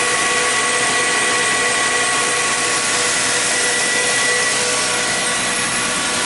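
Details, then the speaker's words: 2006 Chrysler Sebring with an electrical fault: transmission goes into limp mode, shifts oddly, speedometer jumps, check engine light on. A steady high whine from low in the engine bay doesn't sound normal; the alternator is suspected. "now I've heard many of these sebrings running and that whining sound down there definitely doesn't sound normal"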